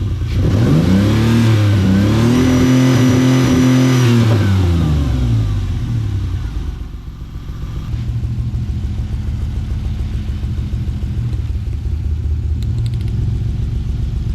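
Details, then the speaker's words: 1995 Ford Explorer, 243,000 miles on dash, after cleaning bad spark plug connections: engine revs then settles to an uneven, lumpy idle stumbling about three times a second; misfire persists, cause not found. "Let's fire it up. Still pretty good miss there, huh? Yeah."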